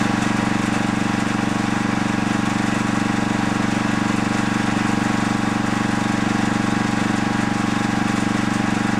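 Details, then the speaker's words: Coleman generator light with what looks like a Briggs & Stratton 8 hp flathead engine, seemingly low hours, running with light plugged in: steady even chugging about four beats a second, engine speed very low and light not lighting; owner suspects idle control solenoid circuit, not confirmed. "well we're not getting any the light not lighting up I just had it plugged in so I know the light is in the working and on position but couple things I noticed it sounds like the RPMs of it is very low"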